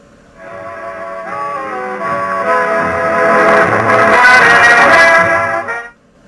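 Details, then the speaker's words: 1934 Philco Model 45 radio being restored, with a new output transformer, after swapping the scratchy volume control for another one: music plays clean and full, swelling smoothly with no crackle at low volume and plenty of volume. "Let's see what this one sounds like. There's no scratchiness at the lower level here on the volume."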